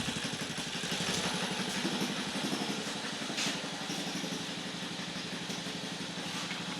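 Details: 1950 REO engine, freshly revived, carburetor turned down with a screwdriver to a very low idle (these reportedly idle real low): slow, loose putt-putt, roughly three beats a second, steady without stalling; healthy.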